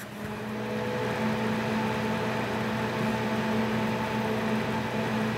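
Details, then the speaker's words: Thermalright Assassin Spirit 120 EVO Dark CPU cooler on a Ryzen 5900X at 100% fan speed: steady, even air whoosh with a slight constant whine, no ticking or rattle; fan healthy, not loud. "as you can hear does have a little bit of a wine but it's not the loudest a cool I've ever he in my life"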